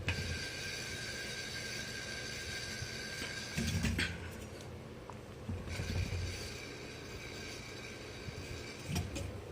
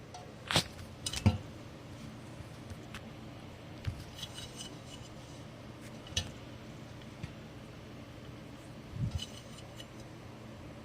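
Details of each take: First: Ceiling fan (Hampton Bay Huntington III) with bad bearings: steady low rumble with uneven thumps and a thin high whine from worn motor bearings. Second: Hunter Studio Series ceiling fan with good bearings running quietly: soft low hum and only a few light, irregular clinks.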